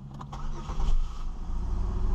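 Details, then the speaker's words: 2002 Chevy Malibu after camshaft position sensor replacement (it previously cranked without starting): a brief crank, then it catches immediately and settles to a steady low idle. "Wow, starting right up with no problem. I'm really hoping this fixed it."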